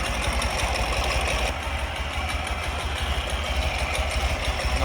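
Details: 2004 Ural Tourist sidecar motorcycle twin idling cold in neutral on choke just after a room-temperature start: steady, even low thumping with no misses or stumbles; healthy idle.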